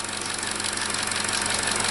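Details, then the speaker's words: 2017 Chevrolet Trax 1.4L (LUV) with P0171 lean code, after replacing the leaking vacuum part: steady idle with an even fast pulse under a smooth hiss, no stumble or hunting, no vacuum leak; normal idle after repair. "so to me the engine sounds better on startup already and we have no vacuum okay"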